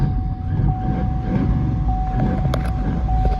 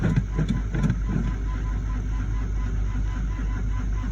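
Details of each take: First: Chevy Suburban with a freshly installed battery, cold start at about -10 degrees after sitting, blower motor resistor unplugged to stop battery drain: it catches and settles into a low, steady rumble with a faint constant tone; normal cold start. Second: Chevrolet Suburban below zero degrees, cold-soaked after freezing days, weak battery on charge, full tank, oil pressure showing: low labored cranking with a few uneven chuffs, never catches; slow cold crank from weak battery.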